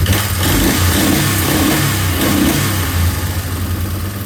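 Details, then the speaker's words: 2003 Yamaha Wolverine ATV single-cylinder, after rechecking timing: revs unevenly with a wavering, stumbling beat, running rough; owner suspects a carb problem. "Okay. So, it runs better with no so probably has a car problem."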